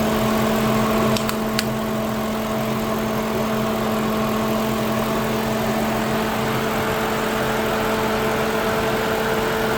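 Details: Lincoln Town Car after replacing an electric radiator fan motor that wore out after 19 years and caused overheating; idling with temperature holding normal. Steady even whir with no rattle or rub over a smooth idle; radiator fan running normally.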